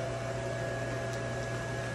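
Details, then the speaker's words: Small blower fan of an 8ft inflatable penguin while inflating: steady low hum with even whir, no rattle or wobble; runs smoothly, takes a minute to inflate being a smaller fan. "it's a smaller it's one of those smaller fans so it takes a minute to inflate but once it's inflated you'll know it just pops right off"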